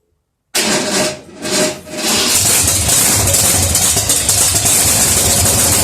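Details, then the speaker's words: Rebuilt 1972 AMC 360 V8, bored .030 over, Holley Demon 750, HEI, mild cam, first dry start with oil but no coolant, static timing: catches after brief stumbles, then steady even idle with crisp lively exhaust; sounds good. "that sounds good yeah better stink"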